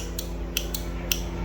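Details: 12 V 15 A relay switched from a 12 V battery during testing: crisp, sharp clicks as it pulls in and drops out, about four in under two seconds; the good relay.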